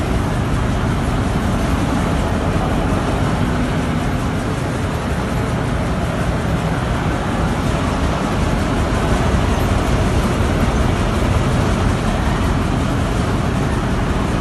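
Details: Petkus K527 seed cleaner after a major overhaul: a steady, even mechanical roar with a dense low rumble and no knocks or rattles. Normal running.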